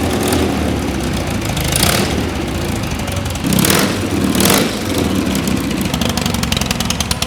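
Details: Custom BMW R80 airhead twin, rebuilt after being found in a hedge, catches on start and blips up with crisp throttle response. It settles into a steady, lumpy but even idle: a normal start.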